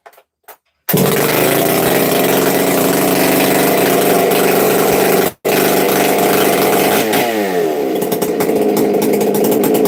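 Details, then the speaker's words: Chainsaw in saw shop, pull-started: catches at once into a steady, loud high-pitched buzz with a brief throttle dip near the end; runs healthy, described as having a good thump, a little loud and smoky. "She's got a good thump. I'll fire it up real quick if y'all want to hear it, because it's a little loud, not gonna lie."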